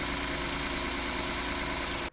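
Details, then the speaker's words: 2019 Hyundai Santa Fe XL 3.3L GDI after serpentine belt replacement: steady, even engine hum at idle with no belt squeal or chirp; normal idle. "We're going to fire it up one more time just to do one last visual on it, and then we're going to call it good."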